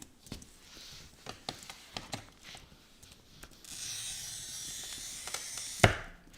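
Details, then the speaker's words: Brand-new glass cutter scoring perfectly smooth glass to show the right sound; a few light taps, then about two seconds of fine, even hiss with no skipping, ending in a sharp snap, a clean score. "If you don't hear a nice smooth sound across your cutter, it's probably got something wrong with it. But you can see it, Hard Hat Man. You can see it. Now this is a perfectly smooth glass, so this is what it should sound like."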